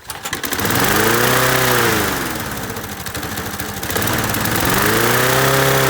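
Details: Masport 21-inch self-propelled mower, Briggs & Stratton Quantum 6hp, first start after new blades: engine screams to high revs, sags and climbs again, never settling to idle; owner suspects throttle stuck wide open on governor side, not carb.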